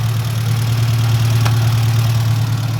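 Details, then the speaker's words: Ford Mk1 Escort panel van engine warmed up at idle: steady, even low hum with no knocks or stumbles and a little expected blow-by, a normal warm idle. "Otherwise, engine's running really well. Now, since it's warmed up, it does have a little bit of blow-by, as expected."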